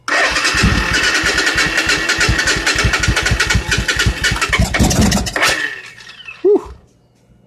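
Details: 1986 Suzuki Intruder V-twin, weak 11–12 V battery, clutch switch bypassed: starter churns about three beats a second, catches with a few brief pops, then dies; starved of fuel, running only on starting spray.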